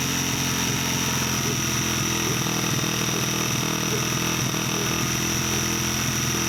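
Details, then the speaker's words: 1989 Honda XR100 dirt bike on a new carburetor and throttle cable, first run before a rebuild: buzzy single revving and settling with a raspy exhaust, no mechanical clatter or weird noises; normal running. "that's pretty good pretty happy with it uh i'd say it's a pretty good sign to go ahead and tear everything down and rebuild it"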